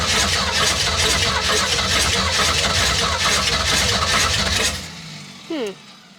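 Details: Classic Ford Mustang with a swapped engine, sat for years, new oil, brake cleaner sprayed into the intake: ragged uneven sputtering for a few seconds then dies; owner thinks the choke works too well, fueling suspect.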